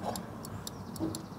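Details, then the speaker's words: Mk1 Audi TT door latch micro switch clicking on and off at an uneven pace over a low engine idle; latch gunked up and being cleaned with contact cleaner, a long-standing fault found during pre-MOT checks. "so the micros switch is under there you might be able to hear it clicking on and off somewhere in there"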